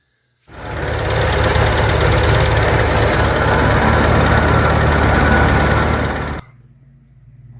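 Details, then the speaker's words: 1970.5 Ford Falcon four-door six-cylinder junkyard car, warmed up, dirty oil: light even tick about 220 per minute over steady idle, tapping valvetrain; owner suspects a lifter not pumping up, plans to try high-mileage oil. "So, we'll throw some high mileage oil in there. And, you know, maybe that'll help that lifter pump up."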